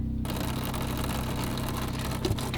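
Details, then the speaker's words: 1977 Najad 34 sailboat fresh water pump run for the first time: steady low electric hum with fast even pulsing that never cycles off; bilge pump then ran, suspected leak dumping water into bilge. "We let the fresh water run pump run, and it just kind of kept running. And I mean, I think it is supposed to stop at one point,"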